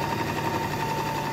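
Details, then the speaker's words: Singer 8280 sewing machine after oiling and tightening screws to cure heavy noise: fast, even mechanical whirr with a light steady hum, no knocking or rattles; noise much improved, runs smoothly. "अब इसकी आवाज़ में काफी ज्यादा improvement है"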